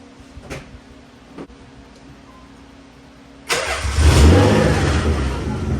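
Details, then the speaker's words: Nissan 300ZX Z32, naturally aspirated converted to twin turbo, first start on twin-turbo ECU with 91 fuel, untuned: quiet idle then hard revs running rough and uneven; rough running, owner hopes an ECU tune will fix it. "But I'll show you guys real quick what it sounds like right now."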